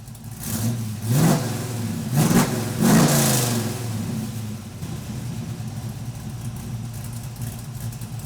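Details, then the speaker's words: LS-swapped Chevrolet Camaro V8 first start after new fuel tank, finished exhaust, new oil pump and fixed oil pickup tube: three clean throttle blips then smooth even idle; sounds healthy but oil pressure still low. "Alright, I definitely like it, so that's probably gonna stay for now. Alright, it does sound good, but unfortunately it's still kind of low on oil pressure."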